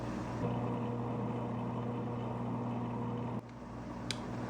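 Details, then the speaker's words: Aquaclear 70 aquarium power filter back on the tank after replacing the impeller and swapping in a motor unit from a smaller, cheaper Aquaclear: soft steady motor hum under gentle water splashing, no rattle or grinding, running silently. "So, I've got the filter back on the tank and it is silent. It's nice."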